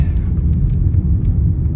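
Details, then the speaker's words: VW Jetta driving after replacing the sway bar end links to cure a rattly front suspension: steady low road rumble with no rattles or clunks; noticeably less noise, suspension sounds tight and quiet. "driving along. Already I can tell that it's making less noise. Very happy."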